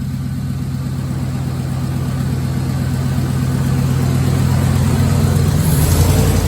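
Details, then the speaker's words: 2001 Dodge 1500 after exhaust-to-manifold gasket replacement: even, steady idle that rises smoothly when revved. The earlier clicking from the manifold exhaust leak is gone, and the truck sounds right. "she sounds different though yeah she sounds right she sounds like she's supposed to cause usually it was it was clicking because of the uh manifold yeah exhaust leak"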